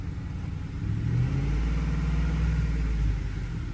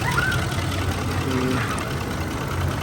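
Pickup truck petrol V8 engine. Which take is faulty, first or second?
first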